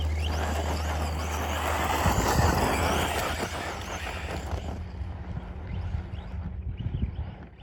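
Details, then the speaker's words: Arrma Typhon 3S buggy brushless motor on dirt, battery cells about 3.8 V: whine rises and falls with throttle, stutters and chatters pulling away from a stop; motor cogging on startup. "You can hear it cog when it stops, and you try to get it rolling again."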